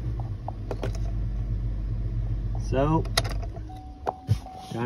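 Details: 2007 Chevy Tahoe 5.3 V8 after cleaning an extremely dirty throttle body (TPS code) caused 2000 RPM idle; after scanner idle-learn reset, steady low idle rumble with no surging or racing revs.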